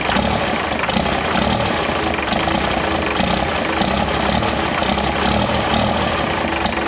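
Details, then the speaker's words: 1968 Dodge W200 with swapped P-pump 24-valve Cummins diesel, NV4500 and NP205, first start after valve lash adjustment: uneven, hunting diesel clatter kept running with ether; owner says poorly sealed fuel fittings are letting air in. "Well, we kind of got it started. Um, I had to kind of limp it by with some ether. I mean, at least I know the motor's like not inoperable."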